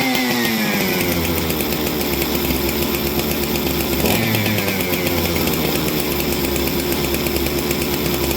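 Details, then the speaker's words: Unidentified 200-series parts chainsaw that had sat for weeks and previously ran well in a sub-zero cold start test: steady high-revving two-stroke buzz with no stumbling. Kill switch is dead. "I did have it going in that sub-zero cold start test, and this saw performed beautifully."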